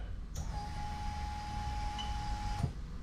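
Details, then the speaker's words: Lexus LS400 1998-2000 1UZ-FE VVT-i standalone adapted engine harness, key on with relay clicking; the electric fuel pump gives a steady even whine for about two seconds, then cuts off cleanly, running normally. "there you go so you can see that's a fuel pump running there perfectly right"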